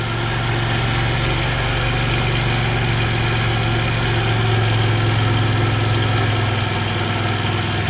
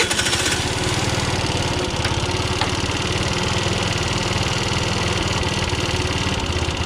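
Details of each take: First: Clapped-out 50cc two-stroke scooter after repair, warmed up: steady, even idle with smooth low beat, no hunting or stalling, idles down fine; normal idle. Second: 50cc two-stroke scooter being revived: putters unevenly with ragged fluttering beat and uneven firing; bad fuel still coming through the line into the carburettor, float bowl may be drained.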